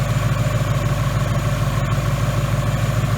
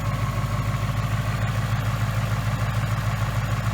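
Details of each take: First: 2018 Mustang GT 5.0 replacement engine with forged pistons, about 300 miles, still on break-in oil, oil warm: smooth even low burble at steady idle, quiet high-pressure fuel pump, no ticks or knocks; normal warm idle. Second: 2018 Mustang GT 5.0 V8 with new forged-piston engine, about 300 miles on break-in oil, cold start idle at ~94°F ambient: light even tapping about three per second over the rumble; forged piston slap, harmless, fades once warm.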